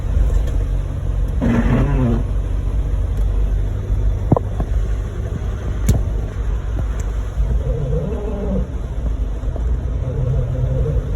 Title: Do any of the YouTube mechanics know what’s making this sound? The abnormally loud part is the wiper